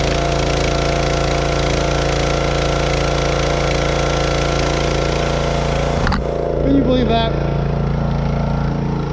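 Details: Wood splitter small engine, restarted after running out of gas under hydraulic load and refusing to start; stuck detent valve (handle up top) was the fault. Now holds a steady, even drone with no misses or surging at constant speed: normal running.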